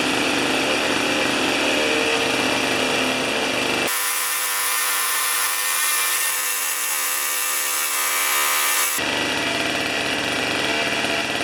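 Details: Old two-stroke snow thrower, long stored outdoors, restarted on choke with 40:1 premix: busy, buzzy small two-stroke running steadily and evenly at speed with no misses or stumbles; sounds healthy.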